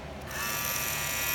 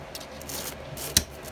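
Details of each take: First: Wahl clipper with Wahl Premium red guards: the motor hums high and buzzy with a thin chattery rattle from a loose guard; the guard's metal clip needs more bending to hold it snug on the blade. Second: Wahl clipper with premium red guard after bending the guard's metal tab: after a few handling clicks, a steady, even high buzz with no rattle, as the guard now sits snug.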